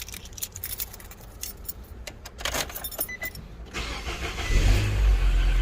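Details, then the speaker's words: 2011 Nissan Versa on a cold day, just after starter replacement: key jingle, a brief crank, then it catches straight away and settles into a steady low idle with no stumbling. Normal start. "straight up we're good to go sounds like money"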